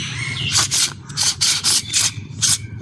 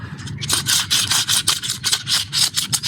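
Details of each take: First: New front strut mount bearing for a Ford Ecosport, turned by hand during absorber replacement: short scratchy rubs, about eight in three seconds, that stop once pressure is applied; otherwise butter smooth, normal light rub for a new part. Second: Ford Ecosport old front strut top mount bearing, removed during front absorber replacement, dusty from bump stopper, turned by hand: rough, sandy scraping in uneven bursts, not smooth, feels like sand inside; worn bearing.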